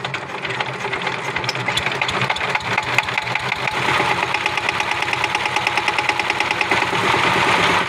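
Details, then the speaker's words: Power tiller diesel engine at no load: a sharp, rapid metallic "tes tes" tapping rides over the engine, which would not take any load; caused by a faulty injector nozzle, fixed by replacing the nozzle. "তো দেখতে পারলেন এই ইঞ্জিনের একটি শব্দ যেটা হচ্ছে গিয়ে আপনার টেস ট্যাস ট্যাস টেস করে একটা শব্দ ছিল। ইঞ্জিনে কিন্তু একদমই লোড নিচ্ছিল না।"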